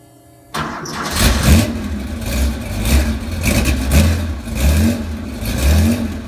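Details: Cold start of a 35-year-old Porsche 911 SC 3.3 widebody with M&K exhaust headers and PMO carbs: it catches, then surges and sags about once a second with backfiring. Owner says it smells rich and smooths out once warm.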